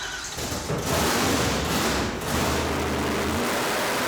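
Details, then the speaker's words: 1970 Dodge Super Bee, 440 big-block V8 with blower, just started and revved after the blower swap (throttle-body spacer, screen removed, wider throttle opening): a deep, loud roar that swells with throttle, no misses or knocks. The engine is healthy. "There we go, boys. It's finally working."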